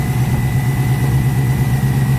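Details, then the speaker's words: Ford Capri V8 project, cold engine idling at about 20 psi oil pressure: steady deep drone with quick repeating tap; knocking noise, owner fears bottom end or internal engine cause, not yet diagnosed. "which is that the bottom end of the engine or something inside the engine it's causing this noise it's knocking noise"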